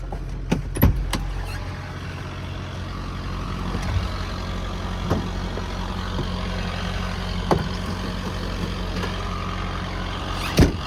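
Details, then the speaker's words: 2011 Ford F550 6.7 Powerstroke diesel, automatic, 222,546 miles, PTO disengaged at idle: steady low idle with light even chatter and a few sharp knocks; normal PTO chatter on early 6.7s, disappears when PTO engaged or revved. "you do have a little bit of PTO chatter um you can hear it right now anytime you're idling um you'll hear that PTO chatter so once you engage the PTO or once you rev it the chatter goes away away but that that chatter at idle is normal on these"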